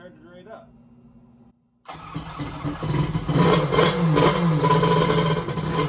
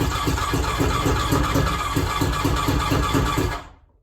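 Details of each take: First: X2 two-stroke that had been hard to start, restarted: brief quiet then fires and settles into steady busy running; later ran hot, about 150°F front cylinder, 186°F head; starting fault not fully solved. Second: 1100 engine after replacing two of three ignition coils in the e-box: chugs with an uneven, lumpy beat of about three pulses a second, then dies away; rough running, cause not yet found.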